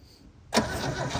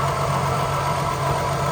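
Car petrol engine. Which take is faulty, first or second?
first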